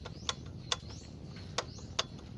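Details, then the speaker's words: Kia Rio with a noisy air conditioner that is not cooling: sharp, uneven ticks about twice a second over an engine hum from a cracked or torn AC compressor clutch damper. "aan ayan naririnig yung ingay so yan yung ingay ng damper"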